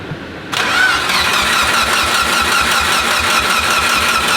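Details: Mitsubishi Evo 8 sitting abandoned 3–4 years, first start attempt: starter turns the engine at an even, quick pulse for four seconds but it never fires; compression sounds good and fuel supplied, cranks with no spark.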